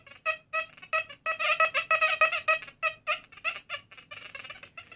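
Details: XP Deus metal detector, V4 Hot Program, full tones: short warbling high-pitched beeps, about three a second as the coil sweeps, a clean, repeatable signal over a small flat button.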